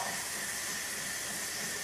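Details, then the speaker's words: Saeco Royal Cappuccino automatic coffee machine's auto milk frother: constant, smooth steam hiss with no sputtering or gurgling; normal milk frothing. "Now I'm going to want a little bit of froth first, so I'll lift the pin up and look at that froth coming through there. Beautiful."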